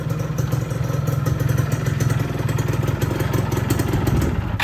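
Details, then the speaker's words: Yamaha F1ZR two-stroke after rehab for a noisy clutch housing, caused by a non-original bearing loosening the crankcase bearing seat. Fast, steady idle with a firm low throb and light clatter. The non-original dynamo sounds slightly rough; overall normal, quiet idle. "Bisa nih. Tadi nggak bisa starternya. Ya suaranya udah adem."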